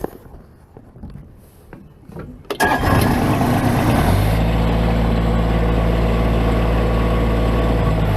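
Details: Bobcat MT85 mini loader, day after belt tensioner replacement, cranking, catching and settling into a steady low rumble while working with a full bucket, with no belt squeal; new tensioner fixed the squeak.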